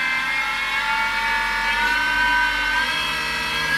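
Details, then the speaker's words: Mini mill with belt drive, motor at 1760, about 12,200 spindle RPM with a 3-inch fly cutter: a high spindle whine with an uneven, wavering buzz in spots from the out-of-balance cutters. "because these Cutters are also out of balance I'll show you I'm running at 1760 on the motor that's going to be about 12200 RPM you hear it there's spots in it where it goes out of balance"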